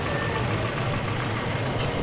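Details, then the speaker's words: 2020 Toyota Camry, after addressing DTCs P26CB71/P268115/P26AC15 (electric water pump/coolant bypass valve): smooth even low rumble idle, steady tone, no knocks or ticks; quiet and healthy. "tahimik naman talaga na to eh."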